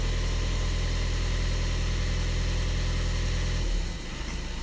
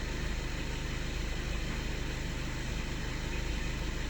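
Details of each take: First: 2013 Skoda Octavia A7 1.6 TDI diesel, 188,000 km, 40 degrees stated: cold idle with a steady rhythmic clatter about three beats a second, then quietens as it warms; knock on cold start disappears when warmed up. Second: Skoda Octavia A7 2013 1.6 TDI, 188,000 km, warmed to 40 degrees; even, steady diesel idle with soft regular clatter and no knocking; the cold-start knock disappears once warm; normal warm idle.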